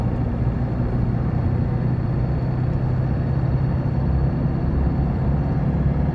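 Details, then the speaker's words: Ford 2.2 diesel on a road test after injector repair: smooth, even hum under light acceleration, no rattle, flutter or knock. Normal diesel acceleration. "อัตรากันเร่งสมบูรณ์นะครับไม่มีกะพือนะครับไม่ไม่มีดังคะแคกๆๆนะครับไม่มีเขกนะครับ"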